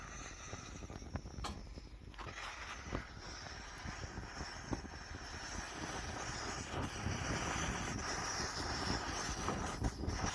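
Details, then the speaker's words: Antique Svea 123R camp stove revived from the dump, pressure building while fuel burns off the body: a steady hissing roar from the little jet builds slightly. Normal burner operation while warming. "now hopefully soon it will start to actually you know burn like a stove there you can hear the little jet going"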